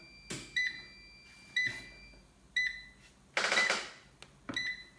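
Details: Axioma ISGRID4000 hybrid solar inverter on the bench after repair, running a 200 W lamp load, when 220 V mains is switched off: sharp clipped electronic beeps about once a second at a steady pace; fault alarm, cause unknown.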